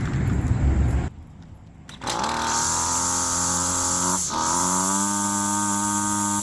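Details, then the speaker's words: Poulan Pro PP28 weed trimmer after a carb rebuild: high steady buzz at full throttle sags and nearly stalls when coming off high speed, then recovers; owner suspects a lean condition and a failing crank seal. "Sort of running into this before where you come off high speed. Sounds like it's going to stall from a lean condition and then slows down a bit."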